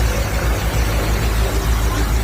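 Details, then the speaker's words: 1966 Dodge Charger V8, engine rebuilt in 1981, before a tune-up: deep steady low rumble at idle with even beat, no knocks or ticks; healthy, running like a champ. "Don't sound too bad."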